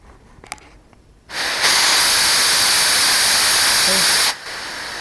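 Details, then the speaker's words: Chip-blower air line on a Delta 16-inch scroll saw, fed through a new valve on a homemade aluminum bracket and adjustable: a steady, even hiss comes on, holds about three seconds, then cuts off; normal airflow. "Comes out here. Hooks right there. And that blows the chips away. You might be able to hear it if I turn it on."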